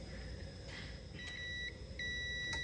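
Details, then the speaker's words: International 140 Industrial tractor, corroded ignition switch with loose soldered terminals: a continuity meter beep cuts in and out instead of holding. Intermittent contact from the loose switch terminals. "all right switch is working but do you hear how it's intermittent that's because of those terminals being loose like they are"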